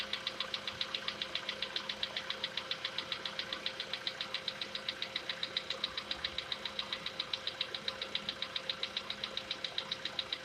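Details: Sharp, very even metallic ticking about four per second over a quiet idle on a VW Polo Sedan with CFNA engine; cause not pinned down, and the owner tests whether decarbonization cures it.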